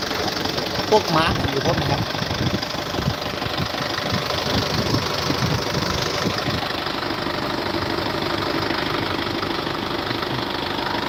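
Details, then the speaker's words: 2014 Isuzu D-Max 2.5 Z VGS cab pickup diesel, 70,000 km, first cold start of the morning: even, smooth diesel clatter at idle with a steady beat, no misses or knocks, no smoke or vapour; normal healthy idle. "นี่ดูครับเสียงเครื่องนิ่มมากเดี๋ฟังเสียงเครื่องกันนะไม่มีควันไม่มีไอครับ"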